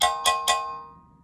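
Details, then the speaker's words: Guitar combo amp reverb pan exposed to cabinet vibration: three metallic taps ring on with long bright decay, an undamped pan resonance; foam tape across the top is planned to damp it. "since this is living inside of a combo cab and exposed to some pretty harsh vibrations um you could probably hear that that resonance listen"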